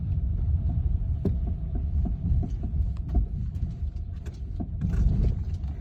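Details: BMW F30 with steady knocking, about three sharp knocks a second over a low engine rumble; source unknown.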